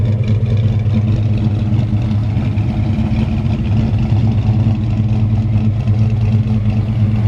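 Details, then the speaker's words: 1965 Chevrolet C10 V8 with aggressive exhaust, cold start after Holley carb was tuned the previous day: low, slightly uneven loping idle, not yet settled and not quite right until warmed up; rough cold idle. "playing around with the Holley carb yesterday and got it dialed in to where you can hear it once then she just cold"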